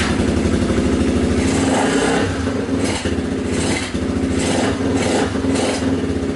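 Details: 1980 Honda XL250S barn find, running indoors: single-cylinder thumps steadily with a few light throttle blips, picks up cleanly and settles back; runs fine.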